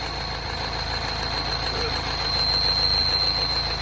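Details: R60 Mini Countryman Cooper S, engine light on, just started: idle hunting up and down with a steady high-pitched whistle. Initially blamed on the tensioner; actually air sucked through a torn PCV diaphragm.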